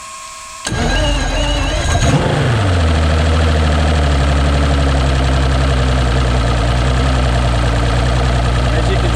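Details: 2006 Mercury Optimax 225 outboard on flush water after replacing the main onboard oil tank following a 4-beep low-oil alarm; starter whirs, engine catches and settles into a smooth, even idle with steady low drone, healthy.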